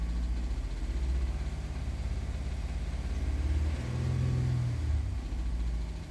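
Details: 2021 Honda Pilot at 102,000 km: low, uneven idle rumble with a faint rhythmic pulsing about three beats a second, rising slightly with revs; engine knock of unknown origin that was declared a normal noise after multiple diagnostics and part replacements.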